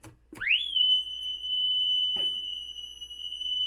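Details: Vintage tape recorder playing back a self-recorded 3000 Hz test tone into a PC wow-and-flutter meter: after a quick rise the tone holds dead steady with no audible wobble; about 0.3–0.4% RMS, 0.7 peak.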